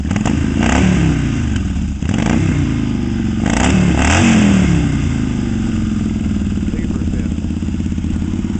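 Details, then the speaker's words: 1972 Yamaha XS2 cafe build, stock-spec engine with rephased crank and cam, Pamco ignition, battery-less kick-start, Pandemonium custom pipes with Bub mufflers, ridden outdoors in cold weather; deep, even twin thrum with clean throttle blips; sounds good. "That thing sounds good."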